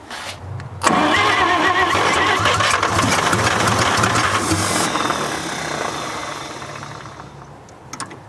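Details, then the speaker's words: 1946 International KB1 truck sitting over 50 years, first start attempt: cranks, then catches with a rough, uneven roar for about four seconds before fading out, fuel pumping out; engine fires briefly then dies. "ready yep just about had it i mean that's running but not enough to"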